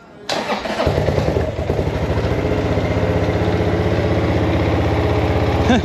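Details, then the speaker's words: 2007 Buell Blast single-cylinder, auto enrichener, no choke, first start after at least a year stored: catches after brief crank, settles into steady lumpy cold idle thump; normal cold start and idle. "It runs. I'm telling you, it has to be a year since it started, at least."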